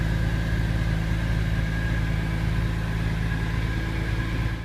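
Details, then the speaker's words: 2002 Porsche 911 996 C4S flat-six after IMS cylinder roller bearing replacement, gasket and valve work, cold start near zero degrees; steady, even idle with a smooth low hum and no knocks or ticks. Only fault is a check engine light from an O2 sensor. Normal idle. "everything's in runs good i did have a check engine light i got that checked and it was an o2 sensor so other than that o2 sensor there's no problems everything running great"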